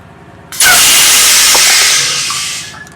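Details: Trailer R68 air brake application during brake stroke check, pushrod moving 11 1/8 to 12 5/8 in (1.5 in stroke): sharp two-second burst of air hissing, tapering off, no leak after; normal release, slack adjuster, cam bushings and drum good.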